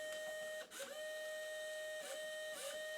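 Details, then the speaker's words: V5 SMT Pro pick-and-place machine electronic feeder, feed in/out pressed: steady electronic hum with short whirring bursts as tape steps forward; normal feeder advance. "So, that's the feeder going in. You can uh you know press the feed in."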